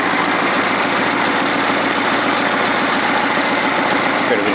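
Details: Datsun engine after hot valve readjustment following a test drive (valves had loosened as they seated): even idle with only a faint light tick over the hum; valves sound properly set.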